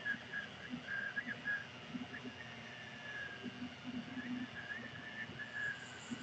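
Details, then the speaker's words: AnyCubic Kossel Delta Linear Plus 3D printer printing a vase, heard from on top of it; short high chirps every second or so over a soft motor whirr; the owner locates the squeak at the top pulleys and thinks they need a drop of oil. "it sounds more like the the pulleys up top of what they're squeaking it may have to give them a little drop of oil that seems to be where the squeak is coming from"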